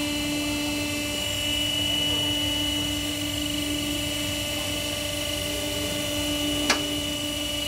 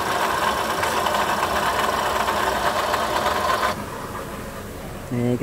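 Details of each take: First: Toyota Sienta idling after water pump assembly replacement, its gritty bearing having caused the rough noise; even steady hum with no grinding or rattle apart from one brief click; engine back to normal and smooth. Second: Toyota Sienta idling with customer complaint of rough engine-area noise; coarse gravelly rumble under steady idle then shutdown, concentrated at water pump/alternator belt drive; oil fine.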